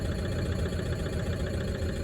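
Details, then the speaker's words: 2013 Toyota Prado 150 D4D diesel at 320,000 km with a cracked piston, heard at the tailpipe: a dull, steady low rumble with heavy smoke, and the engine won't rev when the throttle is gently blipped. "It's not revving? Okay, don't do that. Let's just leave it then, it's all right. I can't believe this one is that bad. It won't even rev up."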